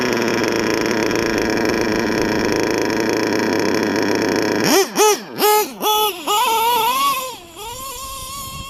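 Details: LRP .32 nitro engine with Novarossi race carb, first full-throttle run of the day: sharp rising-and-falling revs into a thin, piercing scream at full throttle; high-speed needle set a bit too lean.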